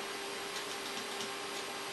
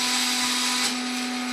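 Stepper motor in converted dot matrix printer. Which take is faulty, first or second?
second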